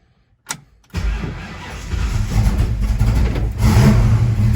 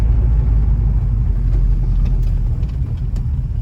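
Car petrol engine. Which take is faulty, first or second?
first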